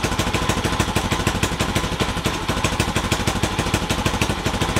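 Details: Honda CT70 Trail 70 mini bike, small single-cylinder engine, ticking over at idle after the wiring harness was replaced with a new 12V universal harness; quick, fairly even putter, no knocks or misfires; healthy running engine.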